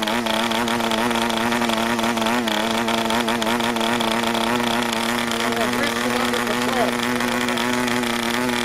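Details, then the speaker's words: PAW 40TBR diesel model engine on first break-in runs, 12x5 prop, recommended break-in fuel, clamp mount: steady high buzz with wavering, uneven pitch, running rich and under-compressed; started easily. "Once again, running rich and under compressed."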